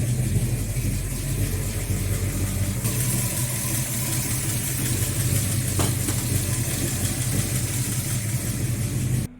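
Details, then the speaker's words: XC Ford Falcon 351 Cleveland V8, cold start after months unused in the shed, new plugs, timing reset to 14° initial/34° total: deep, steady burble at idle with even low rumble, no miss or stumble; normal idle. "let's see how bad a cold start is after months and months and months of not leaving the shed so far so good it's idling"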